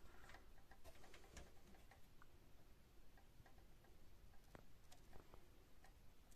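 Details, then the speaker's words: Sony SPZ90DB mini hi-fi: quiet uneven light clicks from the cassette mechanism; the unit shuts down and the deck won't open because the drive belt slips on the motor. Fix: remove the belt. "now just look inside the problem is the belt slipping on the motor"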